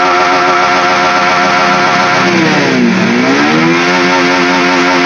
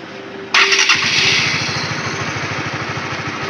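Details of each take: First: Honda CB150R that won't pull at full throttle: revs climb, then pitch sags and hunts when held open as power fades; the power loss is felt as an imbalance. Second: Honda CB150R with power loss at held full throttle: starter whirr, then the engine catches and settles into a steady, even single-cylinder idle with no misses; idle rpm is normal.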